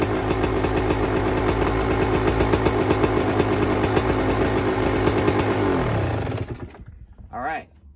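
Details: 2024 Yamaha YZ125 two-stroke after fitting a new FMF pipe and silencer, JD jetting kit, Castrol full-synthetic oil and new fuel mix to cure jetting problems and fouled plugs: crisp, regular popping at a fast idle held steady before shutoff, no bogging or misfire; runs cleanly.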